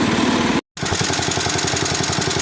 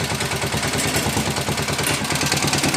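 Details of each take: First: 1961 IH Cub Cadet Model 70 garden tractor, 7hp Kohler single, sat for years: even steady putter about ten beats a second at idle, no misses or knocks. Normal idle. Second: 1961 IH Cub Cadet Model 70, 7 hp Kohler single, restarted on choke at half throttle: steady idle with fast tinny clatter over each firing pulse, not the engine, likely the fuel tank or sheet metal rattling; engine runs well.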